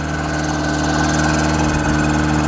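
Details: Chevy Tracker eight-valve four-cylinder that had been running rough and misfiring, started with carb cleaner: a steady, even idle with no stumbles, running much better.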